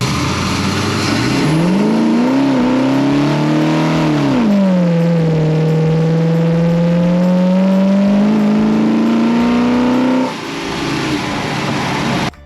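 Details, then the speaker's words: 1970 Plymouth Road Runner V8 with mechanically linked six-barrel carbs and Air Grabber, shakedown drive: deep even pull climbing cleanly at full throttle, drops back smoothly off gas; no backfires or misfires. Normal full-throttle acceleration. "this is awesome this is what I wanted to see and you know what exactly what I wanted perfect perfect smooth no backfires no misfires no nothing super smooth beautiful"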